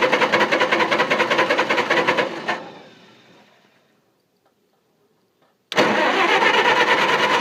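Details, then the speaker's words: Engine cranks steadily at two to three beats a second, dies away without firing, cranks again, never catches after the lights went out; owner suspects flooding or moisture in the distributor cap, unconfirmed; cranks but no start. "Alright, let's sit for a while. It's flooded."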